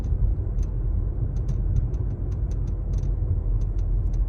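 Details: Mazda 3 BP: over low road rumble, sharp irregular cracking, clicking and rattling sounds pop out now and then from the dashboard, like loose trim.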